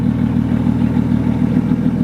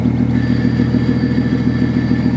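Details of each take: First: 750 hp BMW 135i with newly installed XClutch twin-disc ceramic clutch, just started: loud exhaust idle with fast, uneven rattly chatter over the beat; twin-disc clutch chattering at idle. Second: BMW 135i, about 750 hp, with newly installed XClutch twin-disc ceramic clutch, idling with the clutch pedal pressed: faint metallic whir over the idle, normal for this clutch's metal roller release bearing.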